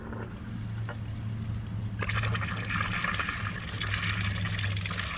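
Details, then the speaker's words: Class C RV water hookup at campsite, spigot then Y valve opened: water rushing through hose with spitting, gurgling sputter as trapped air purges from the line; normal, water ran clean. "Next thing I'm going to do is at the Y valve, I'm going to go ahead and turn it on. You can hear the air coming out now."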